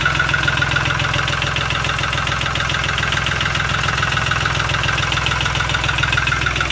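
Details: Lister ST3 three-cylinder air-cooled diesel on an old sewer jetter, first start without using the decompression: even, steady clatter at a settled idle with no stumbling or odd knocks, a healthy normal idle.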